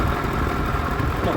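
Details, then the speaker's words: Diesel at idle with steady rough hum and faint constant whirring whine, lots of noise; water pump was removed, requiring timing belt, cam pulley cover, alternator and idler/tensioner removal: water pump bearing noise. "നല്ലതുപോലെ noise ഉണ്ട് നമ്മൾ water pump ഇളക്കി എടുത്തായിരുന്നു"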